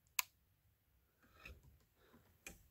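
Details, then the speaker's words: Laptop power adapter, outputting 13.97 V with red LED, switched off: one sharp little click from inside, otherwise quiet; owner suspects a capacitor discharging, unsure; adapter works; click at switch-off. "there's just a little sound inside it like a little uh maybe like a capacitor discharging i don't know it's a really funny sound"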